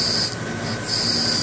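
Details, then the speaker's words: LC/MS mass spectrometer, nitrogen gas supply, desolvation line disconnected and flow set to zero: strong steady high hiss with thin whistle, gas still flowing from below the nozzle; gas flow control fault suspected. "if i turn that all the way down to zero you can might be able to hear that in the background it does turn off however there is still very strong flow coming from uh"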